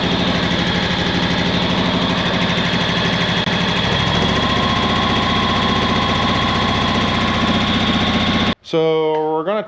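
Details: 2011 John Deere Z910A zero-turn mower, Kawasaki FX651V twin-cylinder engine: uneven, lumpy idle with a stumbling beat, like one cylinder keeps dropping out. Misfire suspected; the ignition coils and spark plugs were later replaced.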